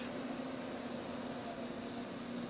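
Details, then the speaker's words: Silver Bullet PC, former Athlon XP system, case fans on a temperature/speed controller turned all the way down: steady even whoosh with a low constant hum, no rattle or ticking. Fans running normally at reduced speed. "most of the time I imagine I'll probably be able to use this with the fans all the way down we lower the pitch on these things all the way down"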